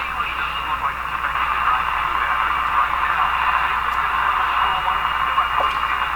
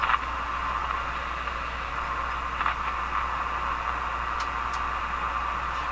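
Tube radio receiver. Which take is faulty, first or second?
second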